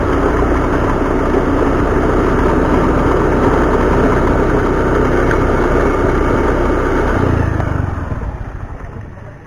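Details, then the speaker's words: Honda Beat automatic scooter running with a loud, rough clatter from the CVT; a worn front pulley (roller housing) bushing knocks against the housing wall. "Barusan ada bunyi dari rumah roll the bagian depan pulih bagian depan yang mengalami keausan pada pusingnya teman-teman jadi dia akan menimbulkan bunyi kocak yang sangat bising"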